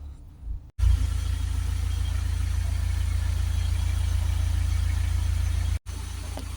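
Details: Ford Transit diesel after its fully blocked DPF, which caused stalling and no-start, was cleaned with Launch UK DPF cleaner: steady, even low idle without hunting or stalling, then briefly cuts out; now running normally.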